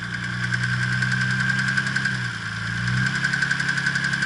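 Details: Nissan R32 GTR RB26DETT idling: deep fast knock about four a second under a high whine, worsening with rpm; oil pressure slightly lower, otherwise fine; rod knock suspected.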